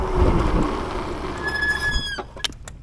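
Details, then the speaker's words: Budget dual-suspension e-MTB at about 22.5 mph during a braking test: sharp, high steady squeal rises from the rear disc brake as it bites, then fades as the bike stops; persists after cleaning, owner suspects contaminated pads. "so it does a pretty good job of stopping us but you can hear that back wheel screeching and that's after cleaning it a couple of times so not sure what's going on there like I said it's probably just the brake pads it got contaminated or something"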